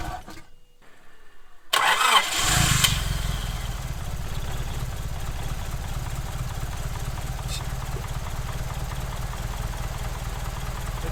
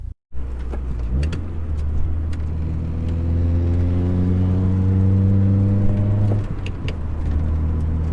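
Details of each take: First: Honda Prelude engine restarted after work: cranks, catches, hits on all four and settles into an even idle with a faint light ticking; slight valve tick, to be adjusted later. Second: Honda Prelude on a test drive after a big rebuild, possibly low on coolant and with distributor timing still to set: petrol engine pulls smoothly through the revs and eases off, quiet and even.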